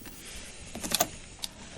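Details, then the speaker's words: 1959 Silvertone Syntronic 4-speed record changer by Warwick Industries: short run of light clicks and clunks as the mechanism resets to rest with no record sensed, then indexes to the 7-inch position; normal cycle. "now as you notice it reset it came back to the normal position and we're not going to touch it at all and it didn't see any record size so now it goes to the 7-inch position"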